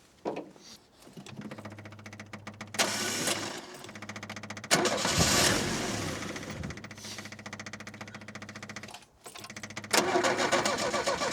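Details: 1967 Opel Rekord 2DHT Coupe, unused for years, fuel-fed by a hose: repeated cranking catches briefly, sputters and stalls several times; engine won't keep running, cause suspected as fuel starvation, not confirmed.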